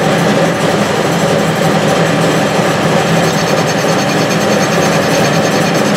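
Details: Restored Clausing 6930 metal lathe, newly fitted with a VFD, taking a facing cut on power feed: steady cutting over an even motor drone, no knocking or surging; cuts cleanly with hardly any vibration.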